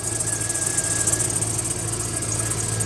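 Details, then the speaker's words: 2004 Chevrolet Silverado idling with a steady high hiss and whirring chatter from the serpentine belt tensioner arm; the tensioner pulley bearing is bad, to be replaced. "there he is that little arm right there with the uh tensioner uh arm that that pulley on there is bad making all that racket so we're going to be replacing that today's video and that should quieten it down"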